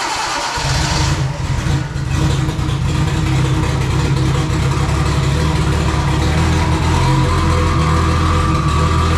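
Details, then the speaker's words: First startup of a freshly built engine with the trigger offset set 360 degrees off: long crank, stumbling catch, then uneven loud running that won't settle; wrong ignition trigger offset causing flooding. "I had some issue with some trigger setup going wrong uh it was not running right"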